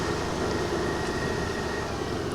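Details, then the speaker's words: Access 125 BS6 scooter that was hard-starting, jerking and stalling at slow speed; road test at very slow speed: steady even engine drone over road noise, no stumbling or cutting out; runs normally. "చూద్దాం ఇప్పుడైతే బండి ఏమి ఆగిపోలేదు ఇప్పుడు బానే ఉంది"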